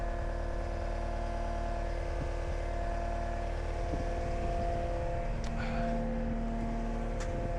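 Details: Cat 279D3 skid steer (about 2019) diesel just after start following main drive hydraulic hose repair: steady, even idle with a smooth low drone, no knocks, misses or surging. Normal idle, "sounds good"; hydraulic temperature being watched.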